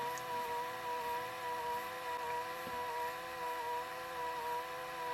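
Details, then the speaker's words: Pye VRD-300L VCR with a 1992 Daewoo chassis, during rewind: a steady mid-pitched whine with a slight waver and no knocks, probably from the belt slipping as one pulley spins faster than the other; suspected, not confirmed. "Belt's starting to slip a bit. You can see that's going a lot faster than that is. And that's probably what's making that noise."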